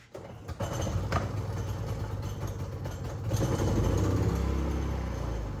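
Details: Predator 3500 inverter generator, which previously surged and ran only on choke, after clearing the clogged carburetor jet: steady low drone holding even, rising slightly under load with no hunting or surging; normal running.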